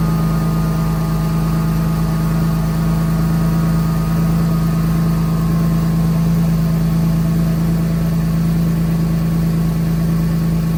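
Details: Mercedes M104 six-cylinder just after replacing misfiring ignition coils with updated coils (part A000-158-70-03), covers temporarily set back in place; steady even low hum, no stumbles or skips; running smooth with no misfires, normal idle after repair.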